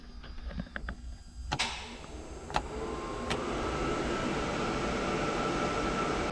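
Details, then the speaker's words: New Holland TM120 tractor after repair: knob ticks, then sharp clicks as the AC compressor clutch engages and the blower rises, restored after finding a wire rubbed through by vibration. "and now when i turn that knob you can hear a loud click that's the air compressor or the ac compressor clicking"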